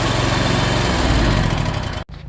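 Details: Small single-cylinder Kawasaki engine that had a no-start from a failed starter, after fitting a new genuine Kawasaki starter: fires up and runs with quick, even low thumping and no misses; healthy start.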